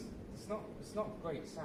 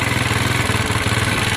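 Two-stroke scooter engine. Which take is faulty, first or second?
first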